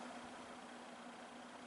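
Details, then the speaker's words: Junkyard vintage Torcan box fan running on low speed; soft steady rush of air with a faint even hum, a gentle strong breeze, normal running on low speed. "Just very gentle, gentle noise, gentle air flow. This would be awesome to have in your window at night. Blasting in a bunch of air, but not making lots of noise doing it."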